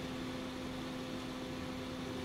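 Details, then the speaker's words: Noisy computer power supply: cooling fan powered directly from a bench supply (red to red, black to black) runs smoothly, just air noise with a faint steady hum, no ticking or rubbing; normal fan running. "That sounds nice. That's just air. Air noise."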